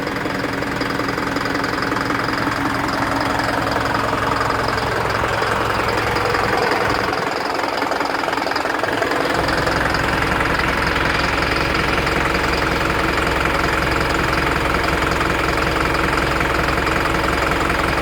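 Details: Isuzu NPR diesel idling with a steady, sharp knock about three times a second, check engine light on with DTC P0202 cylinder 2 injector circuit, caused by a loose connection.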